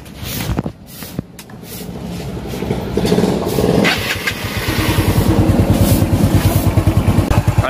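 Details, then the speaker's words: Mio Sporty scooter after top overhaul for hard starting, engine noise and overheating (cylinder head parts replaced, swing arm 6003 bearings changed): cranks, catches and settles into an even putter about three beats a second, no knock or tick; starts and idles quietly. "Ayan umandar na an tahimik na"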